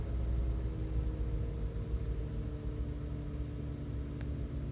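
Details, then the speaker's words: Suzuki Jimny warmed up about 5 minutes, after cleaning/repairing the throttle body idle control valve that caused high tickover: low, steady idle around 750–800 rpm with no hunting, surging or knocks; healthy warm idle. "there we go down to a nice sensible sort of 800 750 800 revs just where it needs to be absolutely perfect"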